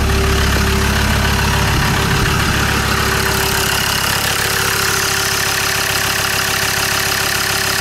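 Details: Land Rover Discovery 2 diesel after injector loom replacement. An even, steady idle with a regular beat and no skips or stumbles. Definitely no misfire: normal idle; an SRS airbag warning is showing.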